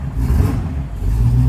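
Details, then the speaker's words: 1969 Pontiac Firebird 400 V8 with EFI, rebuilt engine and Turbo 350, aftermarket exhaust: two quick blips rising crisply and dropping back cleanly, sharp throttle response, nothing amiss. Normal. "Great throttle response with that EFI system."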